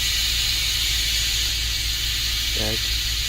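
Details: 2010 Range Rover air suspension (codes C1A06, C1A13, C1A36, limited to 30 mph), engine running after exhaust valve testing with codes cleared. A steady strong hiss of air over a low hum as the vehicle lowers: normal air suspension venting.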